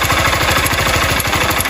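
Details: 160cc motorcycle at idle: loud, rapid metallic clatter hammering through the idle, far too harsh for valve noise, shut off quickly; piston slapping in a scored cylinder.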